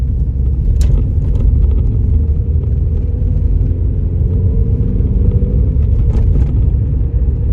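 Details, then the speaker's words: Vauxhall Astra that had been stuttering, EGR valve suspected, after a fix: driving up a country-road incline, dropping to second then third under full throttle, steady deep engine drone, no chugging; some slight struggle on hills still noted. "third now and you know what it's not chugging it's not struggling to get up that hill uh which is great news"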